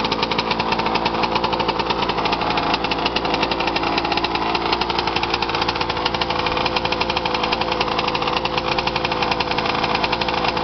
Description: My rm after it rebuild. New crank, crank bearings, rod, rod bearing, piston, cylinder wall, and power valves. Needless to say... its BEAST!!! I outran a raptor 700 on the drag strip at haspin acres 4 times and he beat me twice. Purely awesome power.